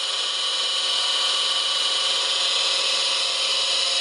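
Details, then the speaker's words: Fimec motor with replacement fan, wrongly wired delta (rated 240 V delta) on 415 V, so overvolted: loud hissy high-pitched whine with harsh buzz; front bearing got hot and frictiony, smoke came out; overheating. "If I got it hooked up in Delta, and I can only run it in 240 volts in Delta. I ran it on bloody 415 volts Delta. So technically I overvolted this thing."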